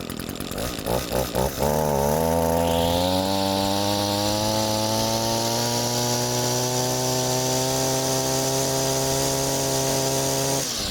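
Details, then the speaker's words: Reference healthy two-stroke trimmer, unused about 3 months, cold with an empty carburetor, fuel bowl primed, choke open: a few uneven pops then steady clean idle rising to strong even high-speed rpm; normal. "That's the idle I'm looking for, the high speed RPM I'm looking for."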